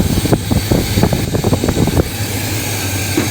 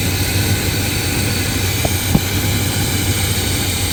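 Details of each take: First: Brother's square-body short-box truck V8 with carburetor, during ignition timing adjustment with vacuum gauge: idle stumbles with uneven lumpy firing then settles; timing seems slow, sounds much rougher; rough idle. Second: Brother's square-body short-box truck with carburetor, after tuning, timing estimated around 32-34: settles into steady even idle with smooth low rumble, no misses or knocks; running significantly better, starts easier; normal idle.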